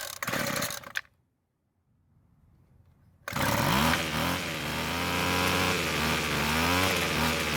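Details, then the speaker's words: Weed Eater two-stroke trimmer, somewhat rebuilt, after richening adjustment; starts at full choke, runs at half choke, but buzz cuts out abruptly at idle then restarts and climbs; lean idle stall, owner plans L screw quarter turn counterclockwise. "so it ran even longer this time so i'm pretty confident that we still need to add just a little bit more fuel to get it to idle again since it's dying at idle speed"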